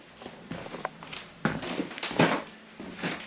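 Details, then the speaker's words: 2023 Ford Transit Extended van conversion floor: half-inch pink foam board under glued, Kreg-screwed 3/4-inch plywood. Irregular soft creaks and squeaks with footsteps in some spots, as the foam creaks after the foam-board adhesive dried. "Basically, you can hear the foam creaking, and it's not everywhere."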